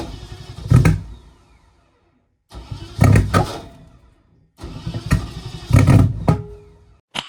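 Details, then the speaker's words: BMW E30 with swapped M60 4.0 V8, reassembled after intake manifold removal over suspected knock sensors; three long cranking bursts each with a sharp backfire pop, never catching. Cranking with backfire, no start. "nice that sound like a fireball really goodu"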